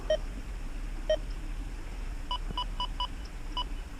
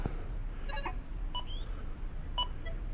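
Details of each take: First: XP Deus 2 metal detector standing directly under a power transformer for an EMI test, 95 sensitivity, speaker maxed, camera about eight inches from the remote: two single low beeps a second apart, then five higher beeps, normal menu tones while changing programs. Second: XP Deus 2 detector during EMI tests: short high chirps and beeps in a quiet room as it changes to Park program and a nearby Equinox picks up the frequency interference until auto scan.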